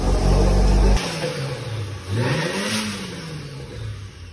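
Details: Tofaş with freshly rebuilt engine, in the workshop: steady note swinging up smoothly on each throttle blip and settling back to an even idle; healthy.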